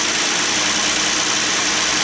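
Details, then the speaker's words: Hyundai 3.8 L V6 with about 120,000–125,000 miles, after valve cover gasket replacement for an oil leak onto the alternator: steady, even idle with no knocks or stumbles, no check engine light; runs smoothly. "well no check engine light on so far so that's good runs pretty smooth for 120,000 on it 125"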